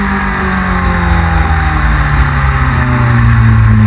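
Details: 1999 Yamaha R6 under load at speed: engine note chops and stumbles unevenly instead of pulling smoothly; misfire, cause not confirmed.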